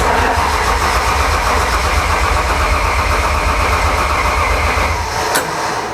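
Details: BMW M52 3.0L stroker with M54B30 crank, cranked with clutch in due to clutch issue: starter churns about four beats a second for six seconds, then winds down without the engine catching; cranks but does not start.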